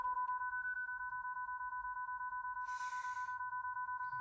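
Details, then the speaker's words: Hyundai Ioniq 5 sitting unused in garage since mid-April, 12V battery about 2.5 years old: two-tone chime pulsing about three times a second with "12-volt battery voltage low, stop safely" warning; hatch also wouldn't open fully. "So I just went to get in my Ioniq 5, and I'm getting 12-volt battery voltage low. Stop safely."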